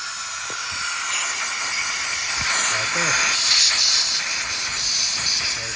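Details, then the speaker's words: John Deere 525E mower, Briggs & Stratton 24 hp V-twin (ELS), cylinder leak-down test: steady high hiss of air escaping, second cylinder 60% leakage; obvious blown head gasket, head gaskets needed. "is going right there. Quick and easy diagnosis. Now you can call your customer and say, "Hey, you need a set of head gaskets before you can test anything else out. I mean, that is obvious head gasket."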